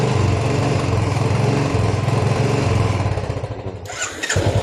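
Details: Royal Enfield Bullet 350 single after clearing tank rust that caused missing: steady even thumping after starting, then brief blips; running cleanly with fuel flowing freely.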